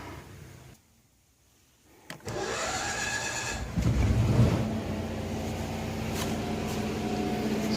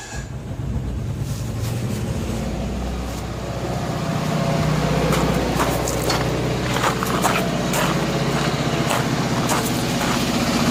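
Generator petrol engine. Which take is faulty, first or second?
second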